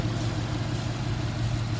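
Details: Ford Mustang GT V8 after bearing replacement for a knock: steady, even low rumble at idle with no knock or tapping; bottom end sounds healthy and quiet, while coolant leaks from a cracked radiator.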